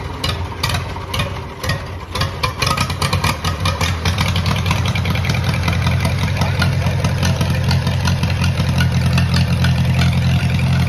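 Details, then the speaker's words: Moline model BF tractor started on choke after sitting over a year, battery dead earlier: catches and settles into a steady, even low idle with light revs; runs real nice, normal idle and revving. "runs real nice real nice"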